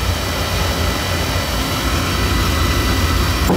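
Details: Oil burner that runs about five minutes then shuts off and puffs black smoke: constant heavy rumble with irregular pulsing roar instead of a clean even flame, burner choked with soot; to be taken apart, vacuumed and verticals cleaned.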